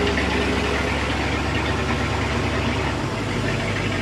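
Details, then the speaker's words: 1986 Shamrock 20 boat, Ford 302 V8 not started in 3 years, now running with the fuel pump feeding the carb: deep, steady V8 burble at idle with no misfires or knocks, over water splashing; smooth, healthy idle. "Sounds like it's running. Boy, sounds really smooth. It feels like it's running. So, oh yeah, it's getting fuel."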